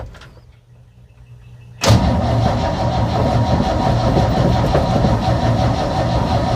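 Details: 1965 Chevy C10 that sat in a field, second attempt with jump box: after a quiet pause the starter spins the engine with slow uneven churn about three turns/sec, but it never catches; crank no start.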